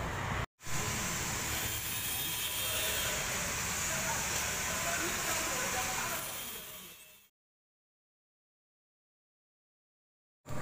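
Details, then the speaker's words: Loud, rough growling roar from the original AC compressor on a medium bus with the AC switched on; the magnetic clutch plate (centerpiece) is broken, and the compressor and damaged-fin condenser were replaced. "jadi untuk kompresor bawaannya udah apa ya udah parah ketika dinyalakan akses seperti itu dan kita cek magnet platnya atau senterpiesnya nih udah jebol seperti ini"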